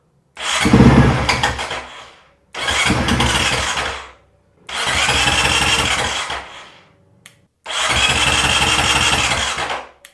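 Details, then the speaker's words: Honda CRF450RL: four bursts of starter cranking about two seconds each, engine never fires; relay clicks but no fuel pump prime, owner suspects failing fuel pump. "sometimes it doesn't but you can hear the relay clicking so we'll try to crank it one more time see if it does anything so I heard the relay but nothing on here no no fuel pump Prime"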